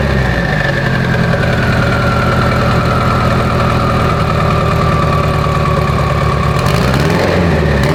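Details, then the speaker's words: Mitsubishi Evo 8 four-cylinder being built for 800whp, restarted after coolant top-off; oil pressure, AFRs and fuel pressure all good: steady smooth low rumble idle, brief blip near end, no knocks or misses; normal idle. "All the vitals are good, oil pressure, AFRs, fuel pressure. Let's make sure everything is dialed in so we don't have any hiccups when we go to hit the dyno."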